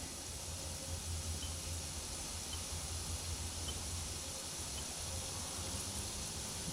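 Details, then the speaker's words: 1999 Ford during rebuild, fan/radiator/AC condenser removal: constant soft hiss of R-134a refrigerant escaping slowly from an opened AC line, left to evaporate until the system is discharged. "PPing. Just let it PP for a while. These are 134As, so they're not too bad for the environment."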